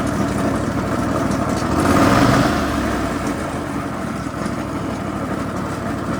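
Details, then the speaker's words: Toro TimeCutter 50-inch mower with Kawasaki FR691 engine, heavily neglected: engine idling, then loud swell as blades engage with a loose metallic rattle about four times a second from the deck; owner suspects valves need adjustment. "I'm going to turn the blades on and just listen to this deck rattle."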